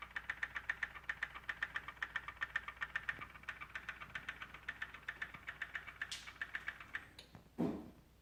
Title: M2 Ticking noise